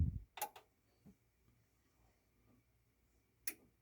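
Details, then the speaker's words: Technics SA-EX310 stereo receiver (probably 1990s), thrift-store bench test amp, powered on while testing DC offset at speaker terminals: quiet room, then crisp double click and another later as the protection relay engages normally. "I can verify to you that it is turning on and you can hear for the Relay click there's the big click and it does a little pretty little light show there"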